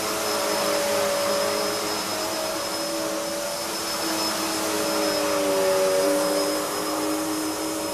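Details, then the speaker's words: Hoover vacuum cleaner (design since 1997): steady high motor whine with airy rush and fairly loud brush roll, no knocks or grinding; not the quietest but runs well; normal running. "so yeah it's very very nice machine to use it's not the quietest machine it's all right when you've got it standing up right but that brush roll as I say it's quite noisy"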